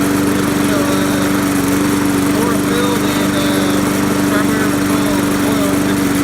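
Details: Trash-picked Poulan Pro lawnmower, hydrolocked from too much oil and now fixed, still smoking a little on first runs. It holds a steady, even high drone at constant speed without surging or missing; normal running.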